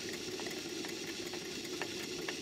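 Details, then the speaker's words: Stuart 5A model steam engine running on steam: light, even puffing beats with a soft hiss, no knocks or clatter; runs very sweetly at all speeds. "you can hear that the engine runs very sweetly at all speeds when it's running on Steam"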